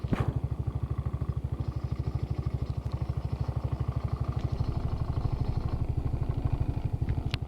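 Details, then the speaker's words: Trailmaster 300 XRX at idle: single engine pulsing about three times per second with a loose clatter on top; owner says it rattles a lot in the front. "Oh yeah, another thing about it, it does rattle a lot in the front too, like,"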